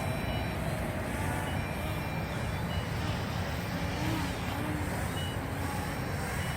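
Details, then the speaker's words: MJX Bugs 8 quadcopter flying outdoors: thin high beeps intermittently over buzzing motors and wind, low-voltage (LVC) battery warning from both quad and transmitter, lights flashing. "I'm getting the lvc warning down though let's see if the quad is beeping now you guys can hear that and the lights are flashing too so now the transmitter and the quad alarms"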